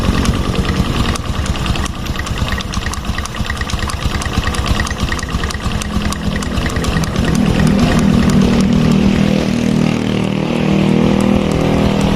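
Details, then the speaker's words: Fuel-injected Revo scooter/motorbike idling with a light, regular tok-tok knock on the right-side clutch area; knock persists with primary and secondary stationary, so mechanic concludes centrifugal clutch shoes are the cause. "primer sekunder ini diam tapi suaranya ada tuk koclek koclek koclek nah ini berarti masalahnya ada di bagian kampas ganda ya"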